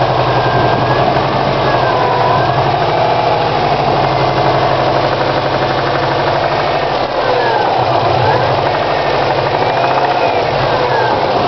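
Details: 2002 Subaru WRX at idle, started today: fast, even tapping knock over the rumble at constant speed; owner suspects a bent valve, unconfirmed.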